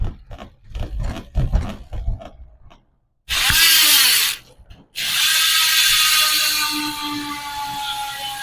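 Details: Hassns Pro 7 rear hub (six pawls, three teeth) on 700x25C wheelset, tyre inflated: fast high-pitched ratchet buzz with a deeper ring underneath, easing off as the wheel coasts down; healthy freehub.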